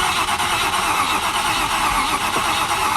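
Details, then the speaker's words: Range Rover Classic LSE soft dash being revived, run on a battery booster and charger. It gives a steady cranking rasp with a squeal; it fires but will not keep running. Fuses, the immobiliser and a swapped fuel pump are still to be checked. Finding: cranks and fires but won't run. "because it does fire up and then it just literally, that is all it will do. It will just fire."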